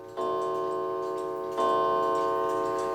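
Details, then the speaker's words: New England Calendar Clock No. 2710, after adjusting a gong that had fallen too far: two clean gong strikes, each with a clear, evenly decaying ring and no buzz or rattle, not too loud. The gong is sounding properly. "it's not too loud. You can adjust this closer and would probably have a louder gong to it."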